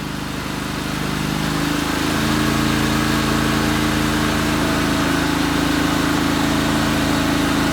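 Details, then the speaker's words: 1998 Craftsman GT tractor, Kohler CV25S 24 hp V-twin, after carburetor bowl and passage cleaning: steady, even idle with a smooth, regular beat and no hunting or misses; running much better; normal idle. "wow it seems to be running a lot better now and I cleaned the carburetor a little bit"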